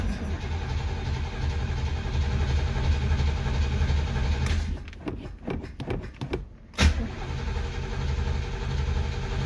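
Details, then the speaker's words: 1964 Chevy Corvette 327 with Edelbrock carburetor, sat a couple weeks, cold start: steady low burble, then uneven cranking pulses, catches cleanly and settles to smooth idle; normal cold start. "1964 Chevy Corvette 327 with a full Barrel it's been sitting a couple weeks let's do a cold start"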